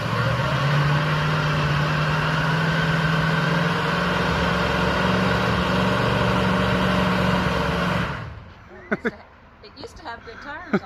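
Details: 1985 Mustang GT T-top Fox body, first start in years after sitting in the backwoods: smooth, steady V8 idle with even low burble for eight seconds, no misses or knocks, then shut off; healthy engine.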